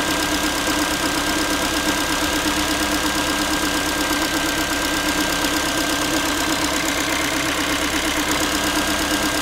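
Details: Ford Focus 3 1.6 (125 hp) after a cold start: steady idle with a light, tinny, pan-like ticking at roughly three per second. The owner is asking what causes this metallic knock. Origin unknown.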